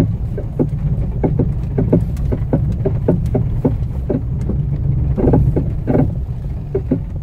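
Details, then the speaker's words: Fiat Strada before suspension overhaul, driving: repeated hollow clunks two or three a second over low road rumble, worn suspension. "Moçada, impressionante, né? Impressionante esse barulho. Deu pra captar aí no vídeo, eu espero. Vamos fazer uma revisão de suspensão, moçada."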